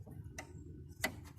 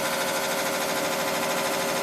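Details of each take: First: 1986 Carrier Siesta 6100 BTU window air conditioner, rusty and found not working as advertised. Two or three sharp, clean clicks over a quiet hum as the thermostat is turned: the thermostat switch works normally. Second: 1986 Carrier Siesta 6100 BTU window air conditioner running: fast, uneven rattling scrape about twice a second over steady fan roar, like a lawnmower; fan blade striking shroud, something caught inside, still blowing cold air; lower radiator part rusted.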